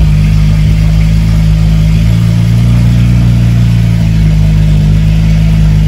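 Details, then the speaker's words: BMW 335is after swap to a replacement N54 engine, cold start on fresh fuel with scan tool connected: steady, deep cold-start idle with a slight pitch rise midway, no misses or knocks; no codes, normal cold-start loudness. "so far so good no colds just uh cold start loudness"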